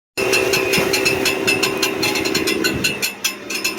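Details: Brand-new 2023 Ford F-150 with 400 miles: uneven metallic clanking, rattling and ticking over the running engine, with a high, steady whine, near the transmission. Cause unknown.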